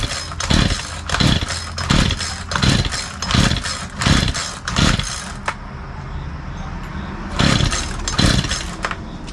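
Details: Craftsman 42cc 2-stroke chainsaw, Poulan Wild Thing design, tries to fire but won't stay running even on starting fluid: short firing bursts about every 0.7 seconds, each dying straight away; low compression.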